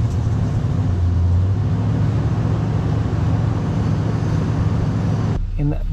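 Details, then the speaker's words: Classic V8 first start after sitting, fresh battery, jump pack, choke engaged, oil an inch over full: catches and holds a deep steady even idle with no misses, knocks or stumbles; fired right up with no problems. "there you have it fired right up no problems"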